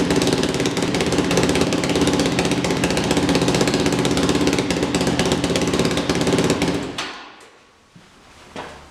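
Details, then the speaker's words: Yamaha YFZ 450 quad after carburetor work, weak battery: single-cylinder fires right up and holds a loud, crisp, steady thump for seven seconds before shutting off, running well but raspy from a big hole in the exhaust pipe. "Alright, she fired right up. That sounds really good. The big hole in the pipe doesn't help, but sounds like it's running really good."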